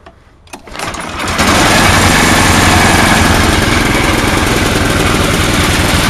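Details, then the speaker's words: Snowblower engine running only with air cleaner off, non-adjustable carburettor: catches then runs rough with uneven lumpy beat around three and a half pulses a second; owner suspects carburettor float sticking intermittently. "it's like the carburetors stuck sometimes stuck up not stuck at other times like a float so i'll fire it up for you show you"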